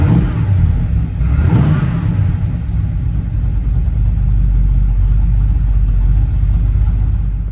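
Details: Pontiac Firebird (1968 or 1967 per sources) V8, TREMEC TKO 500 5-speed swap, electric fans, 150 A alternator, ran 180 degrees on test drive: deep even V8 rumble, smooth with a light rev blip, no knocks or misses; normal idle and revving.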